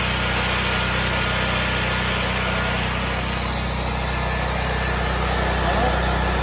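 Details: New Firman 9500-watt tri-fuel generator running on gas in cold weather: an even, buzzy hum holds one speed throughout with no surging, knocking or misfiring.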